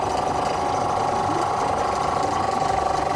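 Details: Chinese copy of a Tohatsu 5 hp outboard, started after gearbox and water pump reassembly: even steady idle, no knocks or hunting; tell-tale stream normal for these motors, no thermostat fitted, motor runs well.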